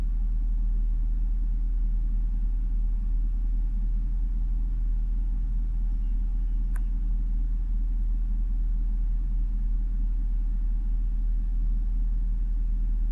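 A deep, steady idle rumble with a faint uneven pulse underneath and nothing else on top; the warm engine is idling rough.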